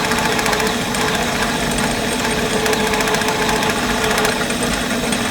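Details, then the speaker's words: Turning a hard D7 part held on threads in the chuck for an Index 645 mill thrust plate: the steady cutting hiss turns into uneven, intermittent bursts. The part has slipped off center in the chuck because the threads were not strong enough to hold it. "you'll hear it right now where it's intermittent cutting that's the point where the the part moved in the chuck"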